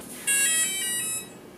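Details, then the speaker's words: Align RCE BL80X/BL50X ESC setup, transmitter on, throttle stick lowered from high position: single high buzzy tone about one second from the motor, the ESC power-on beep. "I'll lower the stick and then you'll hear a sequence of a single beat you will hear the power on beat"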